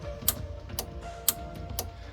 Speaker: once you turn this box on you actually can hear the relays doing their work so you can hear the clicking